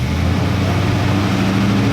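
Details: Stock Chevy 350 small block V8 truck after replacing two burnt ignition wires and dirty plug that caused misfire, vibration and hesitation; deep even rumble around 1,200 rpm rising smoothly, no skipped beats: misfire fixed, normal running.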